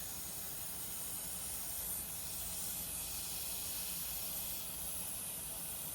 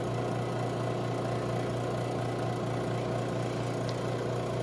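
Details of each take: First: Robinair 134Z refrigerant recovery machine, compressor suspected faulty: filter drier fitting loosened with pliers, motor off; steady hissing as leftover Freon escapes, which the compressor had been unable to pull out. Refrigerant leak at loosened fitting. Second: Robinair 134Z recovery machine suspected of a bad compressor, running after output valve opened and unit switched on, pulling vapor at about 20 psi: steady even low hum with a constant fine pulse, no knocks or rattles; normal operation.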